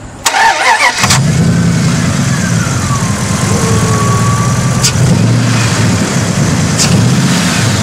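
Brief quick cranking, then the engine fires at once and settles into a steady, even idle; strong battery, healthy start.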